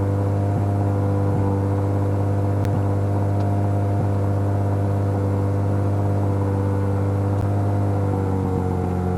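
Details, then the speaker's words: Mazda 13B rotary engine in a Piper aircraft, pre-takeoff run-up after taxi, heard on cockpit audio; steady, even drone at constant pitch with no misses or roughness; run-up sounds good, normal. "all right well the engine run up sounds good"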